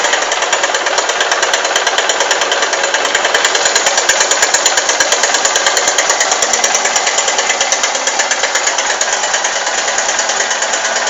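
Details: Honda Titan 150 cc motorcycle, just after start-up: fast, sharp, light tec-tec tapping, several clicks a second, over a thin idle; engine ticking, cause not identified.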